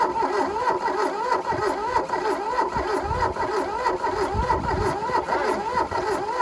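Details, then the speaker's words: 1982 Volkswagen Caddy diesel pickup, sat 20 years, glow plugs used: steady starter churn that never catches, diesel smell from exhaust, little fuel at return line; probably needs a gravity fuel feed; cranks but won't start. "i don't think it's gonna go [Laughter] actually i smell that oil for that um diesel from the exhaust it's definitely trying to go"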